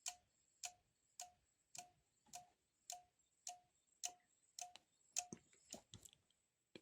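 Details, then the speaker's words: Dead Sonoff S26 wifi smart socket powered on: sharp relay clicks repeating about twice a second with a faint high whine; LED not working. "you can hear, relay was clicking, and we hear some noise."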